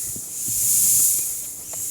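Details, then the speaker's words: Bicycle inner tube that has sat for months and can't be pumped up: a thin, steady high hiss, rising and falling slightly, air leaking from the hole past an old patch that failed to seal. "Now you can hear this one I can't really pump up, because there's my hole."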